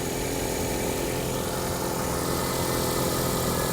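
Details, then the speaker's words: Abandoned C3 Chevy Corvette at an insurance auction, long-sitting with about half a million miles and rat's nests under the hood: smooth, even petrol idle with no knock, tick or misfire; healthy and quiet. "it runs great I don't know it's got a spare on the back it runs perfect and it's quiet as a mouse"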